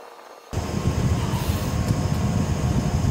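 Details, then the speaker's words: EasyFire EPI EF3801 12V DC pellet stove, refurbished (cleaned, top painted), fire coming up to full burn: front blower kicks on abruptly and holds a steady whir with a low rumble underneath; normal running. "Feeling heat coming out of here now. That probably means the proof of fire is up. Oh, now she's blazing in there."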